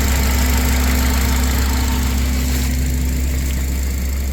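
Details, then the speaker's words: 2004 Honda Accord at smooth, steady idle with a consistent low rumble after the failed ignition coil was swapped for a spare; no misfire, check engine light out, slight hesitation noted but running nice and smooth. "Seems smoother. See what the check engine light got to say. Check engine light is out. Little hesitation. She nice and smooth now."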